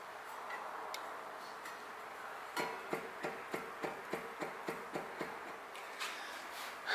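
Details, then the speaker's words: Onyx Vesper rear hub on We Are One Union wheel, wheel torqued down: a dozen crisp knocks, about four a second, as the wheel is rocked. Free play from a loose preload ring; the fix is adjusting the ring clockwise. "if i come in here i hope you guys can hear that but you'll hear that there is actually play in this hub and this this right here this is the issue that a ton of people are facing is that there's play in their hubs"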